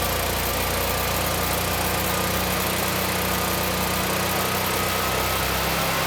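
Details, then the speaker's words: Generac 20 kW standby generator (model 0058751) with replacement GTH-999 999cc engine, running: smooth even governed drone, no knocks, misses or rattles; engine healthy and making power. "It sounds good and we're still making power."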